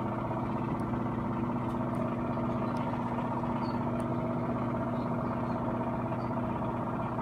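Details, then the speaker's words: Whirlpool Duet front-loading washer in high-speed spin, door locked, eight minutes left, spin kept not too fast to protect the motor: smooth steady hum at one even pitch, no grinding, banging or rising whine; normal spin. "it spins like very fast but not that fast because because because i don't want to burn the motor down because of the malfunctions"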